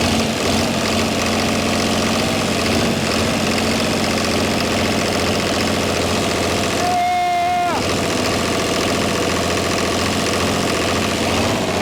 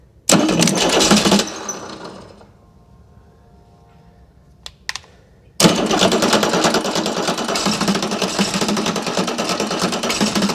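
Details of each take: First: Chrysler-badged Mitsubishi 6DS70 six-cylinder marine diesel, after cranking with loose injectors until fuel reached the sixth: runs on its own with an even, steady beat and a brief whistle. Normal idle, no knocking. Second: Chrysler-badged Mitsubishi 6DS70 six-cylinder marine diesel, sat for years in a barn, cranking on two old batteries with injector lines cracked loose. Fuel barely at the fifth, none at the sixth; air in the lines, no start.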